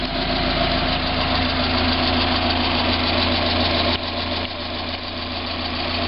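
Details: 1990 Mazda Miata at idle: a fairly even tap about 3.5 times per second over the engine drone, separating from the HLA tick on acceleration/deceleration. It persists with 93 octane, so the owner doubts ping; source unknown.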